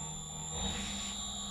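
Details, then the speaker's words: Editron permanent-magnet motor on an NX drive: steady high drive whine with a low hum that swells and wavers irregularly; fluctuating torque from speed-regulator oscillation caused by the KP/TI tuning settings. "listen listen this is oscillation caused by my settings here and the torque is a little bit sometimes you freedom easy"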